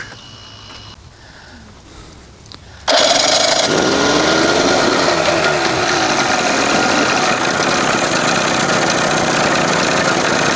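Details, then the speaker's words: 1981 Evinrude 20 HP outboard, cold and not yet warmed up: the throttle is pulled, then it runs with a wavering, lumpy, bumping idle instead of a smooth buzz. Timing is within the two marks. The cause of the rough uneven idle is unconfirmed. "See how it's still bumping all over the place, but it hasn't even warmed up yet."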